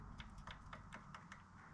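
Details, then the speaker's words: 1981 Harley Shovelhead with a new S&S oil pump, turned over by hand after star-pattern tightening: light, crisp clicks about every fifth of a second from the pump gear, meaning it spins freely and is not bound up. "Check this gear back over here. Make sure you can hear it clicking."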